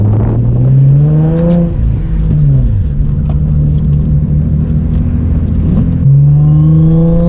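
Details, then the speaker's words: Turbocharged Infiniti G35 at about 50% throttle. Revs climb as the turbo spools, then the power surges, stumbles and sags. The check engine light is not flashing. The owner suspects the coils and plugs. Misfire under boost. "i feel the car start to pull a little faster and then after a split second of like that little surge then the power just all goes away so i think it's just a misfiring pull and timing"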